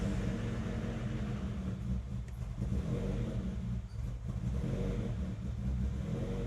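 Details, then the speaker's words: Honda CR-V after new fuel pump, codes cleared, misfire under investigation: runs on its own with a steady low rumble, but idle sits noticeably high and never settles; fuel filter replaced next. "Okay, running on its own, running high."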